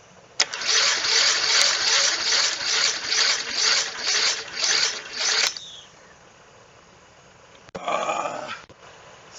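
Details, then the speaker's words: Snapper mower with a 12.5 hp Briggs & Stratton engine, sitting for years: slow, laboured cranking for about five seconds with sharp backfire pops as it tries to fire. The starter seems too weak; the owner plans to remove and clean it. "She's backfiring. She wants to live. Um, just isn't enough."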